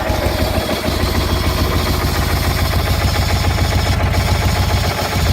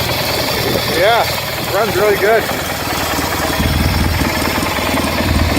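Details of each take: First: Replacement Kohler Magnum 18 hp engine for a Craftsman GT 6000 tractor, cold start in very cold weather: a steady low thumping at about 3–4 per second under a rough, rattly idle. A bad PTO bearing is suspected. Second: Replacement Kohler M18 twin-cylinder in Craftsman GT 6000 tractor, cold just after start: steady even putter at low idle, no knocks or misses; normal idle, though owner mentions hearing a bearing.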